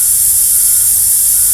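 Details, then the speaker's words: Air compressor regulator valve: constant sharp high hiss when turned up above about 40 psi, gone at lower pressure, tank losing air over hours; leak inside valve not joints, suspected dirt; cleaning and WD40 lube fixed it. "Yeah, this is my regulator on my air compressor, and I noticed that just yesterday it started, like if you turn up the pressure, hear that hissing noise?"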